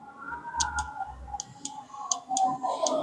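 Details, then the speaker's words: Car 4-pin relay bench test, coil pins 85 and 86 fed positive and negative, microphone held close: crisp sharp clicks over faint hum as relay pulls in and contacts 30 and 87 close; relay working normally. "Sound आ गया click सा, ये sound भी आता है।"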